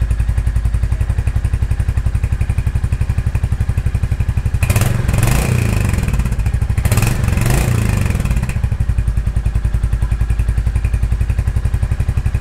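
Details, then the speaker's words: 2023 Royal Enfield Hunter 350 single-cylinder in neutral, after a valve adjustment and before the oil change: even exhaust beat at idle with two short throttle blips, and the previous loud valve ticking is gone; healthy idle. "bike sounds really good no more loud ticking noise that I had before I had a really really loud kick and it's gone all I hear now is the exhaust and then just the engine rotation yeah that sounds really good"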